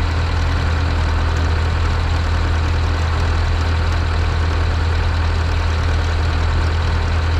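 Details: Zetor 7045 diesel tractor just started at minus 10 °C after weeks unused, cold start button used, battery boosted from an MF35; steady, deep idle with smooth even beat, no knocks or rattles; normal idle.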